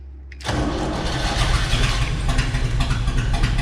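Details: 1976 Chevrolet K20 Scottsdale 3/4-ton 4x4, started for the first time in about 20 years: the starter turns briefly and the V8 catches at once into a deep, steady, slightly lumpy idle. Normal start.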